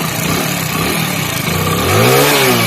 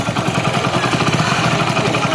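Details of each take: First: Hero Splendor Plus motorcycle engine idling and blipping: light, dry ticking from loose tappets (excessive valve clearance); a mechanic had blamed the timing chain. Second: Hero Splendor Plus single-cylinder motorcycle at idle after tappet adjustment: steady even thump, no sharp ticking from the valve cover; earlier tapping was tappet, not timing chain.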